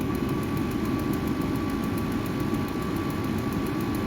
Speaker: So it's a lot quieter than what I thought it'd be. I'm used to the, those diesel ones to where if you had that on, you just couldn't, you'd just drive you out of the shop.